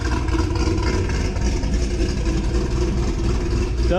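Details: 2006 Corvette Z06 V8, cold start recorded before a new cam is installed: loud, deep rumble settling into a steady, slightly lumpy idle; engine sounds healthy.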